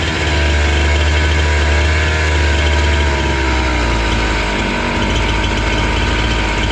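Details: Husqvarna 268 two-stroke chainsaw, which stalled once warm and would not restart, now idles after carburetor L/H screws were set about 2–2.5 turns out: a steady, even burble with no hunting, dying or misfire. Normal idle.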